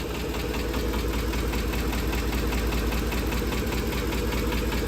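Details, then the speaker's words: 2010 Ford F-150 5.4L 3-valve Triton, idling after a dealer timing job: a light, quick tick about two and a half times a second on both banks, lighter than a phaser knock, rising with rpm, from worn roller followers. "So it's not a phaser knock. That is a tick from the followers. It's a lighter, tinier tick."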